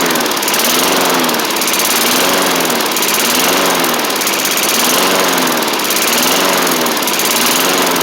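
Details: 1990s MTD Yard Machines push mower, old-style Tecumseh primer engine, first running on its own after revival; steady buzz but speed rises and falls about once a second, throttle still to sort out, rough running, surging.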